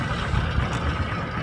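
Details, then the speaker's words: 70cc single-cylinder bike with a starting problem, started after tappet adjustment and refitting the tappet covers: steady, slow, even idle with no clatter; it revs properly and holds a slow idle. "तो ये जी, ये इनकी गाड़ी start हो गई और ये आप देख सकते हैं कि रेस भी सही ले रही है, रेस भी सही कुल्ला ले रही है"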